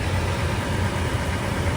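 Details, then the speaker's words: 2019 Toyota 4Runner Limited just after oil change with 6.6 quarts 0W-20 and new filter, heard from under the vehicle: even, low engine hum with no ticking or knocking; runs good, no leaks, normal idle. "All right, guys, so we're up under the car. She's running good, as you can see. No leaks."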